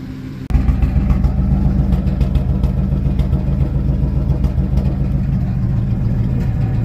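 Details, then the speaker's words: 2003 Ford F150 V8 running for the first time in 6–8 months, at idle: lumpy idle with an irregular stumble and uneven pulses from one bank; cylinder 4 is likely misfiring, and a new ignition coil is planned as the fix. "This bank is good. This bank is misfiring pretty good."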